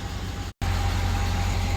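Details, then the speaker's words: 2004 Chevy Silverado, 6.0-litre V8 that had a ticking noise: after about 2 minutes running with an engine flush additive before an oil change, it idles with a smooth, even, low rumble and no ticking or clicking; the valvetrain is quiet. "No more clicking noise. It stopped. It is so quiet."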